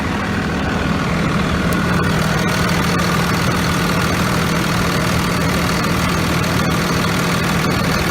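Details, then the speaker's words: 2001 Dodge Ram 2500 Cummins 24v diesel after replacing failed VP44 injection pump, injectors fine: steady even clatter and smooth low rumble, no stumbles or misses; much smoother healthy idle than before. "Sammy much smoother running whoa look better than it previously did"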